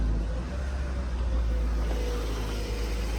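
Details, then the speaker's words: 2015 Subaru Forester after replacing the failed muffler with a Walker Quiet-Flow SS muffler: started and revved, deep smooth even exhaust rumble with no rasp, rattle or drone; quiet, sounds normal. "all right guys here's what it sounds like you can hear it I could feel it let me rev It Up sounds normal"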